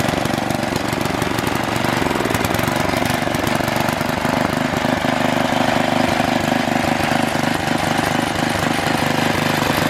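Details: Troy-Bilt Super Bronco tiller, bought locked up, possibly stuck reels, now repaired with exhaust warm: fast, even single-cylinder putter at steady speed with no knocks or misses; normal running.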